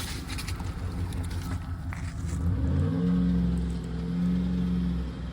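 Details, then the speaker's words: Auction van with an automatic transmission that slips as soon as it reaches second gear: the engine note climbs, holds, sags and flares again without the speed settling. "Soon as you get the second gear, she slips."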